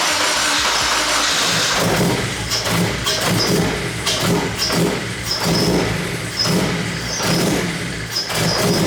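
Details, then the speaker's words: BMW E30 with K24 engine swap, first start, fuel pressure primed to about 50 psi, replacement injectors fitted, no tune yet: catches and surges unevenly, revs bobbing with ragged, stumbling firing; rough running. "wow okay we need to fix some stuff all right that's a good first try"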